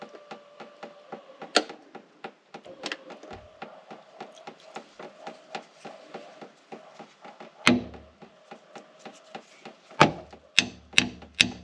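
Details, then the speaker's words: 1979 Mercedes 450SL fuel pump, run on its own after sitting 9 years; thin buzzing whirr broken by uneven ticking and clacks, rough and unsteady rather than a smooth hum, suggesting a bad pump. "foreign not very well doesn't sound good does it"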